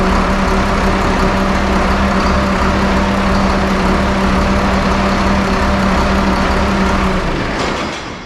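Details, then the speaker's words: 1974 Allis Chalmers 7080 tractor diesel after fixing hydraulic leaks and restoring power steering: even steady idle clatter with smooth firing rhythm, no knocks or misses before winding down; healthy running. "So with that said, Damon is gonna hop in this bad boy, crank it up. We're gonna listen to her purr."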